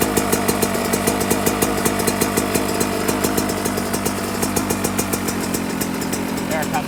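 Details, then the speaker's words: 2024 Yamaha YZ125 two-stroke after jetting changes, idle screw turned down from a slightly high idle: crisp, even popping at a low, steady idle with no hunting or misses. "again I like that that's good sound"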